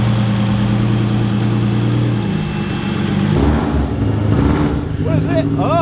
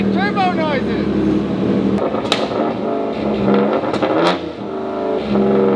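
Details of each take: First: Subaru WRX STI with EG33 flat-six swap, on the dyno with cooling system bled and idle brought down by the tuner: deep, even low rumble holding steady with no misses or hunting; normal idle. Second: EG33-swapped Subaru WRX STI on dyno under load: revs hard then repeatedly drops out and stutters like a cut, launch-control-like limiter; AFRs good, no knock; suspected map limiter, TDC offsets or mechanical timing off; engine cutting out under load.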